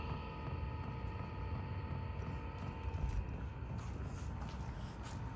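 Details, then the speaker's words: VEVOR 5kW diesel heater in a weatherproof box, recorded near the air intake at startup, likely maximum output: soft, even rushing with a steady faint whir, no knocks or rattles; a little smoky at first, possibly from burning off packaging oils. Running normally. "Okay guys, here we are, it's getting started, a little smoky at first. This is how loud it gets, I think, at the maximum though."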